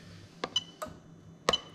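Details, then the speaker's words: Toyota Crown 3UZ-FE VVT-i harness adapted to Lexus IS200, fuel pump active test via diagnostic tool: relay clicks then faint steady high-pitched pump hum; ECU-controlled fuel pump working normally. "we're going to go into fuel pump enter let's make for it to load and you can hear the relay click and you can hear the pump running over there"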